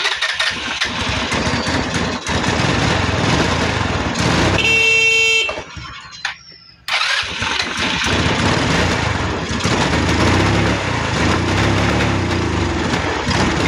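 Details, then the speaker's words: Smoky motorcycle with hard starting and misfire: the engine catches after a cut-out, then runs rough and uneven, a horn in the background; the cause is a carbon-fouled spark plug. "kalimitan ang pinagmumulan ng ah hard starting dahil itong motor na ' nag-uusok Ibig sabihin Yung kanyang spark plug na puno na ng Carbon"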